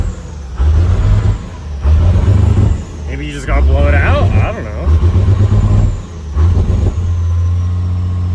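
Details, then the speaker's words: Cummins 6BT 12-valve tow truck at cold start after piston and head gasket replacement: low rumble rising and sagging every second with uneven lumps, smoky; always does this cold, owner suspects a bad delivery valve, unconfirmed. "it's always kind of done that at cold start the little I almost think a delivery valve is bad so let's just let it warm up now and see if it gets any better cuz that's pretty pretty Smoky there"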